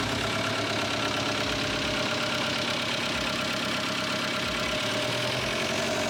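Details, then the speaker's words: VW TDI diesel in 1950 Willys Wagon on Jeep Wrangler chassis: harsh, uneven clatter, rough lumpy idle, loud sharp knocking; injection timing definitely off, to be re-timed. "so the injection timing is definitely off it was running pretty bad so we're gonna re-time it"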